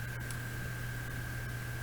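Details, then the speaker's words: 2007 Toyota Corolla S on jack, steering turned, cover removed at the yoke: steady low hum and faint hiss with no knocks or clunks, one year after replacing the damaged steering yoke that caused knocking. "doesn't have any more knocking sound whenever we turn the steering wheel. The steering is runs quietly and smoothly as it was when this car was bought in 2007."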